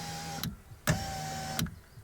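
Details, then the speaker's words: Lada Vesta driver's window, glass being lowered: a thin motor whirr with sharp, uneven clicks; owner suspects a loose glass-to-slider clamp and checks its tightness, cause not yet confirmed. "Когда его считаешь, какой-то как щелчок есть. Ну, давайте проверим затяжку."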